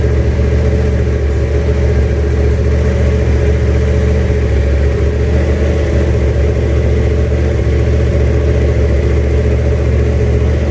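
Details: 1967 Mustang, junkyard 351W turbo V8 with new headers, first fire-up: loud steady idle with slightly uneven lumpy pulse, no knocking; runs, owner says it definitely needs a tune.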